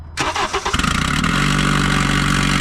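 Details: Honda CR-V that ran rough, stalled and became undriveable: quick crank catches and settles into steady idle; runs better.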